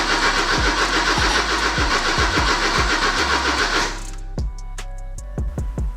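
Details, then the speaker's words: Porsche 944 after replacing fuel pump, strainer and fuel filter: even starter cranking at about three and a half beats per second that never fires, then stops; the fuel pump gets power, but the ignition is dead and will be rewired. "not really sure what to do next so the ignition is dead like completely dead so I'm gonna have to just rewire the push-button"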